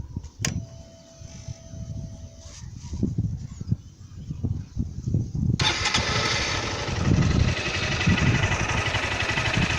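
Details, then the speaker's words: Honda Titan 160 at about 5,000 km, with valve adjustment due at 6,000 km: a quick, light ticking over the uneven single-cylinder idle. The owner suspects loud valve noise but thinks it may be normal; the cause is not confirmed. "Barulho de válvula muito alto. Dizem que é normal, também é normal mesmo."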